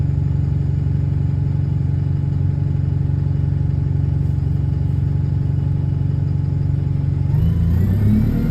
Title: *exhaust leak* Ride on 36545 (LX12DJO) on route 314.